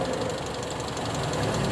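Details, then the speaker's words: Toyota Kijang with independent ignition setup, idle lowered for clarity: uneven, lumpy idle with shaking when cylinder 1 plug lead is pulled; misfire from cylinder 1 disconnected. "nomor satu kita cabut nah ini ada perbedaan mungkin terdengar dari idelnya"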